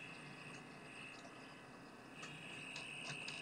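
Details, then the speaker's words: Maxitronix 10-in-1 one-transistor radio with diode, drawing 5 mA; thin steady whistle with uneven chirps about three a second, tuning capacitor has no effect, touching transistor base changes sound, no station received: oscillating chirp instead of reception. "The tuning capacitor doesn't change the nature of the output. It's just this humming, chirping kind of thing."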